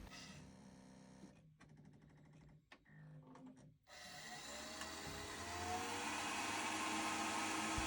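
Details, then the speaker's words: Worcester Bosch combi boiler in ignition lockout (no heating or hot water, gas present at inlet, gas valve not opening), fan heard after reset: rough, uneven whirr with rapid rattle instead of clean hum; fan fault suspected. "so the first thing that catches my attention is that fan doesn't sound right"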